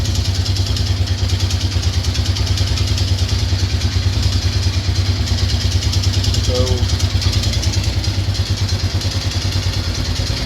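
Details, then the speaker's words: Yamaha Grizzly 600 single-cylinder after carb work, cold idle: lumpy beat with a steady clatter, about three a second, from down in the engine; source unknown, owner fears engine teardown. "I don't mind doing it, but I mean, that's bad is it's got that damn, it's got a noise down in the engine."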